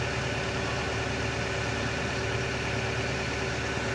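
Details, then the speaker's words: Mitsubishi Canter Euro 4 diesel truck whose rpm rises by itself without the gas pedal: a steady, fast idle with even rumble and no dips as the idle potentiometer (variable resistor) is turned up, raising rpm. "potensiometer ya variable resistor seperti itu itik ketika diputar nanti ada tahanan yang lebih beda akhirnya membuat rpm nya menjadi lebih tinggi"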